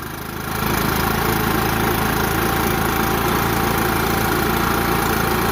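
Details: New Echo PB-5810T leaf blower, first run after fueling: small engine rises quickly, then settles into a steady, even idle with no surging, rattles or misfires; runs clean.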